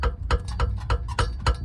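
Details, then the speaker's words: Toyota Matrix XRS: sharp metallic knocks about three a second as exhaust pipe hits rear crossmember, worn exhaust mount isolators, noise occurs on cold mornings; also blown rear exhaust donut gasket. "you're also getting an issue with your exhaust will hit this cross bumber here and you'll get a"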